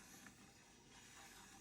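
A dry, hissy metallic scraping runs through the turn with no smooth glide; unoiled crank wheel rubbing metal on metal.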